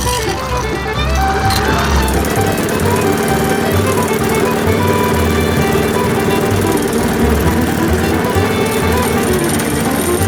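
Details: MTD Yard Machines mower with Briggs & Stratton engine after new carburetor diaphragm, air filter and water removed from fuel; catches and settles into a steady even chug under loud music, no misses or knocks; normal running.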